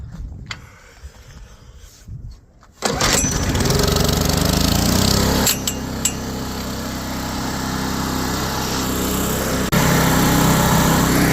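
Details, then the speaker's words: Old Powermate PM900 generator (Kawasaki/Coleman tags), left outside ten years, started in cold, windy weather: a few pulls, then it catches and settles into a steady, even run with no misses or knocks. "yeah you can hear it it's running but I got cut it off I got to do that isue or blow it up it runs"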